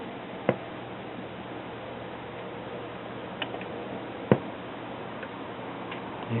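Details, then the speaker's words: BSR record changer from a Realistic Clarinette 91 stereo fitted with a modern Pfanstiehl/Tetrad-type ceramic cartridge: quiet hiss, then a couple of sharp mechanical clicks seconds apart as the tone arm reaches the record's end; normal auto-shutoff. "that and whenever the tone arm gets to the end of the"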